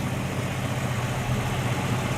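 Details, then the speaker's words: 1967 Mustang, hood up, engine-bay listening, two years after first start following 22 years sitting, rewired: steady, even low idle rumble with no misses, knocks or ticks; healthy. "let's listen to her tell you two years ago just hearing that engine run again after 22 years it was like music to my ears"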